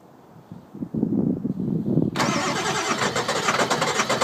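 Starter churns steadily at about four turns a second but the engine never catches or fires; a crank-but-no-start condition.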